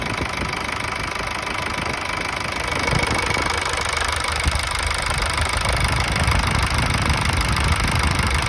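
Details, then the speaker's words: Ford Transit Mk4 2.5 non-turbo diesel idling with constant high whistle and light rustling hiss, apparently from the alternator side, loudest at idle when cold; cause unknown. "Какой-то всё время свист со стороны генератора, наверное. Ээ особенно на холодную получается, что он слышен на холостов почему-то больше всего."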